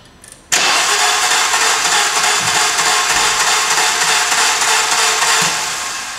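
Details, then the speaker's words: Cranking an engine with a broken timing belt: starter spins it fast and evenly with no compression chuffs and no firing, freewheeling because bent, open valves let compression escape. "okay and there you have it that's how it sounds did you see uh I'm sure you guys were able to tell how how it was spinning fast and it was basically freewheeling"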